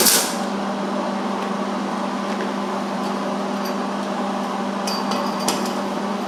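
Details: MIG welding a butt joint on roll cage tubing: steady, even frying hiss over a low hum with no popping or sputtering, a properly tuned weld. The bead looked good outside, and penetration was checked via an inspection hole.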